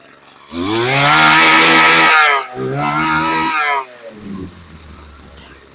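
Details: Old Weed Eater LT7000 15-inch two-stroke trimmer, after backing out its single high mixture screw about a quarter turn: sharp buzz revs strongly, holds, dips, revs and returns to idle; smooth, responsive, runs really good.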